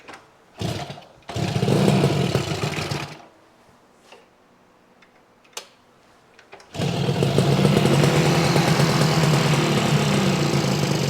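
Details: 1968 Yamaha YAS1C 125 two-stroke twin, air cleaners off and choked after carburetor cleaning, revs in bursts, dies off, then picks up with an uneven, stumbling beat; misfire on the right cylinder still present.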